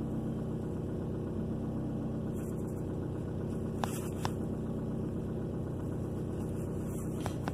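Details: 2003 Ford Focus after fixing P0302 cylinder 2 misfire, scanner data reading fine: quiet even idle with steady low rumble and no stumble or knock; normal idle.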